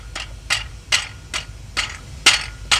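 About seven sharp metallic clinks, roughly two to three a second, as the plate is rocked by hand: a cracked flex plate.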